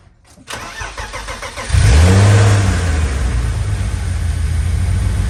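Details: 30-year-old BMW E36 started after fitting new pulleys (including a new metal one replacing a failed plastic one), clutches, shrouds and serpentine belts; starter cranks briefly, engine catches cleanly and idles steadily with no knocks or misses. Normal start.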